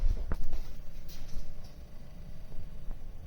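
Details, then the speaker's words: Brand-new Samsung French door refrigerator: soft irregular clicking over low hum during cycle, compressor copper tubing vibrating against its foam pad; pressing the pad stops it, owner plans to add damping. "there's your compressor see that copper is vibrating and if i put my finger on that foam pad right here it stops i can feel the vibration through my finger"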